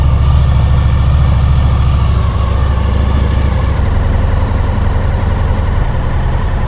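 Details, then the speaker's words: 2000 Honda VFR800, fuel-injected and restricted, first start after standing 6 months with a full tank of old fuel: heavy, lumpy idle with no clean rhythm, running on three cylinders with one exhaust pipe cold. Cylinder misfire. "В общем, один цилиндр не работает совсем. Труба абсолютно холодная."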